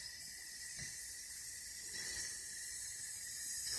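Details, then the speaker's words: Toilet with newly replaced fill valve and supply line: the old vibration noise is gone, but once the tank reaches its level a thin, steady hiss keeps running as if water is still coming; the valve won't shut off; house water pressure is suspected, not confirmed. "But now what it does is after you see the water coming. Yes. When you reach the tank that level. Yes. Then it still sound like water is still coming."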